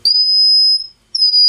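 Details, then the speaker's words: Magnescriber Deluxe model 160 wire recorder, caps replaced, 160 ohm 5 W dropping resistor fitted: two bursts of loud piercing high-pitched whistle from its own speaker at high volume; absent through headphones. "now when you run it through a headphone it it doesn't do that but when you don't want it through its speaker for some reason it does that"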